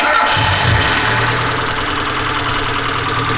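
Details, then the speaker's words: Mazda 121 (Ford Festiva) after swapping in a B6 16V SOHC 1.6L from a Ford Laser, first start after firing-order fix: rough-sounding idle with a light, fast top-end tick about four per second; valvetrain ticking. "She is a bit tappy. If that's the worst of my problems, I can live with that."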